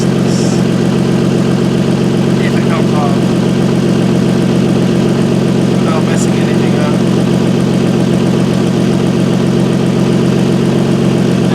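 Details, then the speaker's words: Car with top-mount turbo kit, idling: sharp, fast puffing tick on every exhaust pulse; exhaust leak felt and heard at the turbo downpipe V-band clamp. "I have it fat exhaust Le holy cow there's a fat Sly right here I can hear it that's crazy that means I got to fix this no way bro no freaking way you can literally hear it and I can feel the air come off of it"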